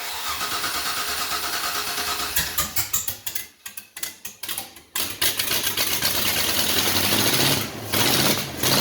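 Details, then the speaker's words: LS V8 swapped into a Datsun 620, on open headers, with makeshift wiring. Cranking catches into a loud, raw, lumpy, uneven idle; misfire. "That was only on 7. Oh, that wasn't even all 8 cylinders?"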